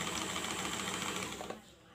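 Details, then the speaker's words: Janome 2222 sewing machine that was jamming, after cleaning out rust and dirt at the back and oiling: fast even needle clatter with no catching or binding, winding down cleanly; runs freely and smoothly, cause was just lack of oil. "Ini coba dinyalain, mentok itunya. Halus ya. Suaranya."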